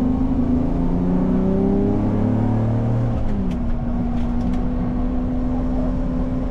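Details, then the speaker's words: Audi R8 with new Capristo exhaust, headers and test pipes, exhaust manifold leak now fixed: a steady low moan persists under the engine as revs drop and settle; exhaust ruled out, source still unknown, catalytic converters questioned. "You saw an issue, we fixed it. Unfortunately, it's not the moan. The moan will not leave."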